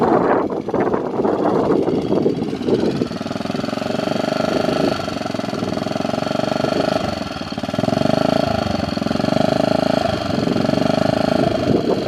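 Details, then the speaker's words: 1965 Honda 55 Trail started after sitting about a year and a half; small single rough for a couple seconds then settles into a quick, even putter, no smoke, runs like a top; healthy idle. "as you can see this thing runs like a top doesn't smoke at all"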